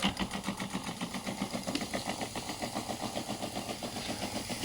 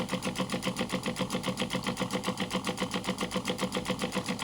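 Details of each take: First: Small pump feeding a 3D-printed intercooler spray bar, running off a switch-mode power supply: a steady hum with light rapid clicking, three or four a second, which comes from the power supply (better on a 12 V battery). The pump is running fine. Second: Small pump feeding a 3D-printed intercooler spray bar, drawing from a drinks bottle on a switch-mode supply, which itself clicks. When the water runs out, the pump runs dry with fast, even buzzing pulses about four per second.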